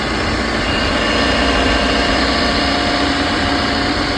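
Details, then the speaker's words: Eeco petrol car after engine change and burnt wiring repaired, crank sensor and ECM replaced following a no-start with no spark at the plugs; now starts and settles into a steady, even idle with no misses or knocks; normal idle. "गाड़ी start हो गई है।"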